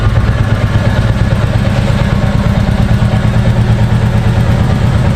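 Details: New 2023 Royal Enfield Bullet 350 Military Black single on its stock exhaust, idling: a steady, deep thump with an even, unhurried beat and no ticks or rattles; owner says the note opens up after 5,000–10,000 km; normal exhaust sound.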